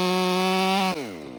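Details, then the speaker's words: Ported STIHL MS500i, now fitted with a MaxFlow air filter, throttle noted as snappier than stock: a high, steady buzz near full revs through the cut, then drops cleanly on throttle release. Strong, healthy saw. "Weekend Warrior stopped over and one thing he brought up is how hard these things pull. And I'm holding back on the side to keep the dogs from digging in."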